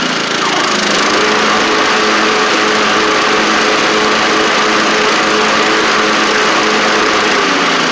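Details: Troy-Bilt TB42 rider, Powermore 541cc engine on old gas: steady, even running with no knocks or misses, good compression, though it may need a carb clean; normal running.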